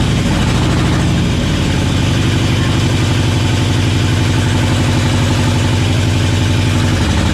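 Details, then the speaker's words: LS-swapped GMC K10 truck at idle; rough lumpy V8 with stumbling beat and chuffing gaps, not firing on cylinders 2, 3, 5 and 8 per owner; suspected down a cylinder, cause unconfirmed. "she ran she did run I think she's down a cylinder"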